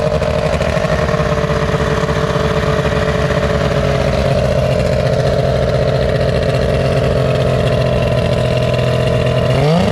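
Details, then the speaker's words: Outboard on a restored 13 ft Delta T850 race boat: fires and settles into a steady, even buzzing run with a crisp pitch rise when blipped; sounds healthy. "Time to go for a ride. Cannot wait. Sounds good."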